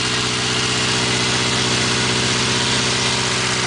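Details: 1980 Triumph Spitfire 1500 cold-day start, carburetor in place of the rebuilt Stromberg; even, steady idle pulsing at a constant rate with no stumbles or hunting, settled and clean, normal idle.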